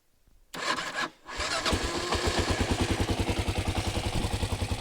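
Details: 1993 Kawasaki KLR650 started cold in neutral after a head gasket, timing chain and bottom-end rebuild. It cranks, catches after a brief stumble, then settles into an even single-cylinder thump at about 3.5 beats a second; normal start and idle.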